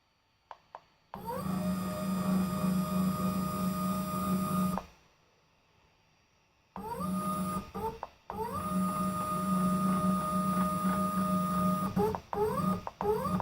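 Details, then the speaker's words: CNC drill/mill Z-axis test run on a NEMA 23, roughly 2.1 Nm stepper with a TB6560 driver at only 12 volts, too weak for the axis weight: the whine climbs to a steady pitch, then stops and restarts with stutters, struggling going up. "It's obviously not all lined up yet. It won't. Oh, it will. Well, it sort of doesn't like going up. It's only running on 12 volts."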